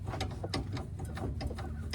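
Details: 2004 Toyota Highlander, driver-side sway bar link rocked by hand with the bushing removed: dull irregular clunks over a low hum, visible up-and-down play; worn sway bar link causing clicking, clanking suspension noise.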